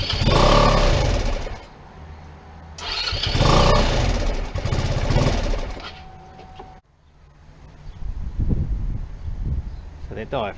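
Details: PGO T-Rex 150 scooter, about 2012, not run in years: it catches, surges unevenly, dies and sputters back. A cracked part that may not seal is suspected.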